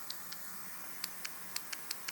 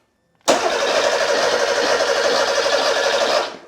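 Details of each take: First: Porsche 911 Carrera 3.2L fuel injector off the engine, bench-tested with a 12-volt tester: eight sharp light ticks as it opens and closes; working solenoid, though passages may still be clogged. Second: Porsche 911 Carrera 3.2L engine on a test stand, sat a while: starter cranks about three seconds with even whirr but never fires; no spark, no signal from the ECU after DME relay swap, so ECU swap planned.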